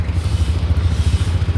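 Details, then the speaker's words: Yamaha NMAX, noisy engine, after bottom-end and top-end rebuild with 60 mm oversize piston: low, even single-cylinder idle, quiet, no knocking or ticking, revs normally, no engine warning light. "ก็ประมาณนี้เครื่องเงียบๆเร่งได้ปกติไม่มีไฟเครื่อง"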